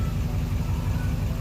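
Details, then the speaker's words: Duramax diesel after adding Hot Shot's Stiction Eliminator to the oil; deep, even idle rumble with no surging or hunting, now smoother and quieter, staying in range instead of the earlier idle fluctuation around 690 rpm; owner also notes less turbo lag. "But it just runs so much smoother, and it's a lot quieter."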